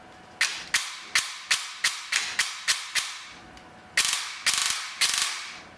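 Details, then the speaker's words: Gearbox fitted with a new piston and a T238 brushless motor cycles with crisp piston slaps, about two a second plus a triple burst, with no gear noise or motor whine; peak current was 19 A and the grip stayed only mildly warm. "like i don't hear any gear noise or anything no wine from the motor nothing just the slap of the piston that's blowing my mind"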